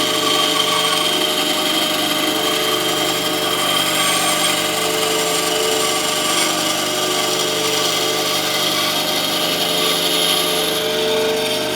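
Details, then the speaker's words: Scheppach HBS20 band saw after blade change to a 1400 x 1/4 x 6 blade for hardwoods, test cut to check drift angle: constant even hiss and whine through wood, no ticking or thumping, normal smooth cutting with much straighter drift. "I'm going to do a test cut and check the drift angle, see if it's made any difference."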